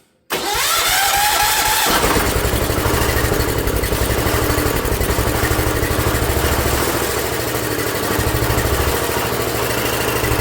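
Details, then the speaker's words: Ford LGT145 garden tractor, parts-yard rescue, on fresh gas before carb set to factory specs: starts after a short crank, then a lumpy, pulsing run that never smooths out; carburetor out of adjustment. "I know you're getting gas. You can't fool me. Oh no. Let's try adjusting the carb somewhere."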